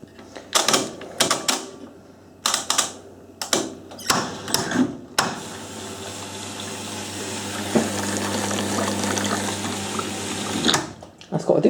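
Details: Hotpoint 9530 washing machine after new carbon brushes and cold double solenoid valve fitted: a few clicks then steady even hiss of water filling for several seconds, no buzzing or chattering; normal inlet valve fill.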